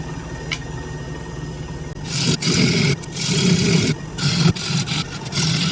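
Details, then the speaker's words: Wood lathe at work: a low steady drone under the rough scraping of the tool on wood, caused by vibration of the loosely mounted wooden bench top under the lathe; fitting a steel plate is a likely fix. "i probably need to put that steel plate in here and that'll that'll stop that that vibrating noise that that you hear but i'm kind of used to it i'm just going to work through it"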